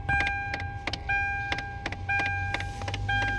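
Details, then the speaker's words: Hyundai Tucson: sharp, uneven knocks, roughly one a second, from under the dashboard at ignition on, fading after a while; the cause is a failing aircon blend door actuator, which is to be replaced. "Parang kumakatok yan. Yan knocking sound."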